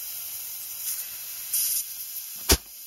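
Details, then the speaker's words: Toyota A340E automatic transmission on the bench, valve body removed, air pressure applied to the band servo passage: short compressed-air hiss then a sharp clack as the band grabs the drum holding the sun gear; servo and band working normally. "you can see that band applying on the drum and that drum is connected to this drum which is connected to the sun gear so this is what how we hold the sun here to the case so the servo's working fine the band's working fine"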